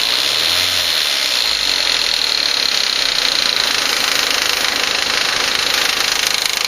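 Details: 2004 VW Passat 1.8T GLS at idle: quick, light, slightly uneven ticking about three per second over a hissy idle, from the rear of the engine area; intermittent, worse at startup; some suspect a lifter, unconfirmed.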